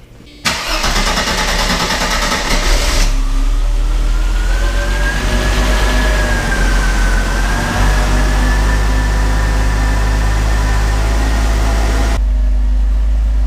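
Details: 1990 Mercedes-Benz 300E sedan that had sat non-running for a long time, filmed under the hood after repairs: quick crank, catches at once and settles into a smooth, even idle with a brief rev; healthy start and idle.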